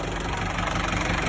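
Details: 1994 Isuzu Panther diesel with thermostat refitted, temperature 82°, no smoke: steady, even diesel clatter at idle with no misses or knocks; normal idle, valve clearance and nozzle adjustment still pending.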